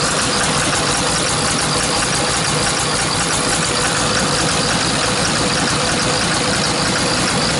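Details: Hyundai R290LC-7A excavator diesel with black smoke, running unevenly: loud rough running with a hard clatter and uneven beat. The injectors are removed for bench testing.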